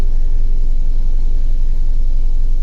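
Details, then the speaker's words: 2011 Jeep Wrangler 3.8L with codes P0340, P0344 and P2305, still misfiring after a new coil pack, injector and plugs: deep, lumpy idle rumble with an uneven beat. It shakes badly; injector pulse width looks good and the cause is not yet found. "thing's shaking like [Music] crazy injector pulse with looks [Music] good h you can definitely feel it"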